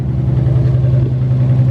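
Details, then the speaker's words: Nissan 300ZX idling after repairing a misfire on one cylinder, coil pack ruled out first, fuel injector suspected: steady, even low hum with a smooth pulse and no stumbles or skips; all cylinders firing, misfire gone. "that's way smoother now I'm gonna pull this off and see if it's fixed that was the problem no more misfire"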